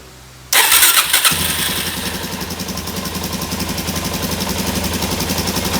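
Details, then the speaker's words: 2017 Suzuki DR-Z400 that would not run, fuel screw set three turns out after draining the float bowl: starts, then uneven stumbling idle that sags and dies when throttle is opened. "i just don't get this why are one to die when you crank it"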